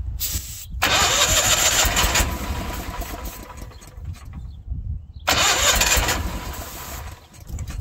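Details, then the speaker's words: 1986 Ford F8000, sat about 8 years, on starting fluid: catches in ragged bursts but quits each time the starter is released. Not getting fuel; an electrical fault is also suspected. "That is acting like it's losing power as soon as I get off the starter switch. That's interesting. Yes, sir. It's quitting when I let off the starter."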